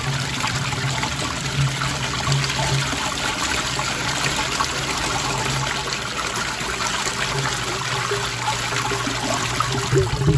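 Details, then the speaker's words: 1986 American Standard Cadet toilet, pipe view, not connected to a real drain: water trickles, then air gulps and gurgles through the trap as makeup air enters; normal siphon break ending the flush. "now notice how you can hear that siphon breaking in the pipe now this was connected to an actual drain system this would be siphoning continue like a lot"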